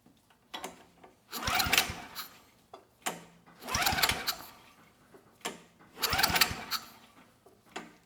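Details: Fairbanks Ward 2500 W generator, 5 HP Kawasaki FA210D flathead, old fuel left in tank, starting fluid tried: three short pull-start cranking bursts ~2 s apart, no firing; cranks but won't start, spark later found strong.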